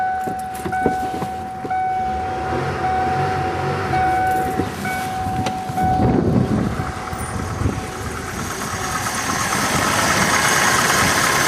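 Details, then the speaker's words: 1991 Mercury Grand Marquis after an oil change to 20W50 plus Marvel Mystery Oil, with the original battery recharged; a steady high whine rides over several seconds of cranking before it starts, an unusual starter noise of unclear cause. "But the starter on this sounds weird. Just listen to the starter on this. I've never had any Ford product with a starter that sounded like this."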